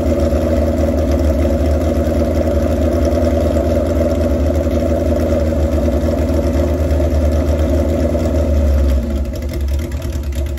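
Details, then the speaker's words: Old chopper motorcycle, warm idle with an uneven loping beat; propane run around the intake rubbers at carburetor-to-cylinder joints caused no change, so the suspected vacuum leak is unconfirmed; propane at the air filter changed revs; rough idle cause not pinned down. "there you go so you saw I put the gas around the uh the rubbers on the intake where the carburetors hook onto the cylinders and uh absolutely no change in sound of the bike"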